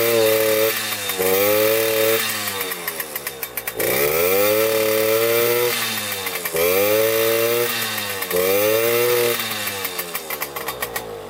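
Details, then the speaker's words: Suzuki JR 50 two-stroke after the carbon-clogged exhaust pipe was burned out and refitted, curing a bogging problem: crisp buzz climbing cleanly to high revs and dropping back several times, no bogging or stumble. "as you can hear it revs out which is really good so we got that fixed"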